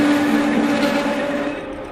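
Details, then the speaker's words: Manual lathe parting steel at 460 rpm with cutting fluid: steady squealing buzz of parting-tool chatter from too-high spindle speed; fix is slowing to 300 rpm. "all right so I'm not happy with that I'm getting quite a bit more chatter than I would like and to to help with that chatter I'm going to slow down the machine"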